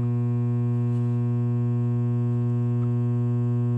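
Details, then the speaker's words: Coleman DGAA056BDTA furnace showing three-flash code, combustion air switch failed to close: steady low electrical hum on start attempt, no ignition or burner roar; it's trying to start but failing, cause under diagnosis. "do you hear it making that noise that humming noise well that indicates it's trying"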